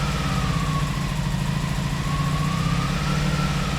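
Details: 1986 Honda VF700 Magna V4, first run after fuel system flush and carburetor cleaning: smooth, steady low idle with no stumbles or knocks, holding speed evenly. Normal idle.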